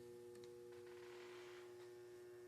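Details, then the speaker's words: DIY high-voltage isolation transformer being brought up to about 90 V input drawing about 30 mA: a pure, steady hum with fainter overtones; current rises sharply above 100 V, core possibly starting to saturate, cause of hum unknown. "Okay, at 90 volts. I can hear the thing humming."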